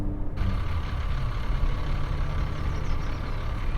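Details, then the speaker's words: E46 BMW 325i with UUC Motorwerks lightweight aluminum flywheel and sprung-hub organic clutch, no dual-mass damping, at idle in neutral with clutch out: low, uneven diesel-like clatter; normal gear rattle, not a fault. "You see, it is a noise, it is distinctive, and it is different, but it's not something to have a panic attack about."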